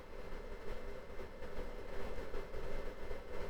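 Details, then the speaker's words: Fnirsi IPS3608 power supply cooling fan running at about 35–37°C with the mic close to the fan, so it may sound louder than it is: a soft, steady whir with a low hum and no ticking or rattle. Normal fan, but cooling is slow. "The fan itself, you can probably hear it. It's not terribly noisy. It is actually relatively close to the microphone, so it might come across a bit noisier than it is in reality."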